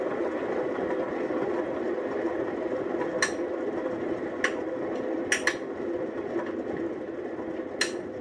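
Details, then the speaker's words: 1928 engine being reassembled, turned slowly by hand, rotating smoothly with good bearings. Scattered sharp clicks, about six in eight seconds, come from sticky lifters that stick when pushed up and then pop back down. "some of them are stuck or some of them are kind of sticky so they tend to get stuck when they're when they get pushed up and then they pop back down which makes a clicking sound"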